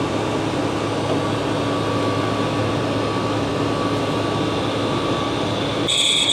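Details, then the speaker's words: Freezer condensing unit on roof, restarted while checking a freezer that keeps icing up: loud steady roar with constant hum, shrill tone near the end; source of the loud noise unidentified. "up I'm not sure where that noise is coming from that is loud"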